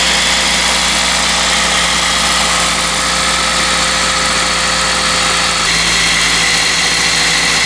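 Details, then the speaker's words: Toyota with about 250,000 miles, possibly run on bad fuel, startup after sitting: steady idle with a thin, constant rotational whir from one area; suspected pulley, bearing or timing chain, not confirmed, with a slightly rattly startup. "you can hear a little bit of a sound from this general area over here which is definitely rotational might be a pulley might be a bearing could be a timing chain"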